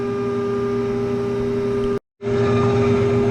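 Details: Screw air compressor pressurizing maple sap line tubing, regulator at 100 psi, unloaded at 140+ psi: constant steady mid-pitched hum with no knocking or rattles; normal unloaded running, holding pressure.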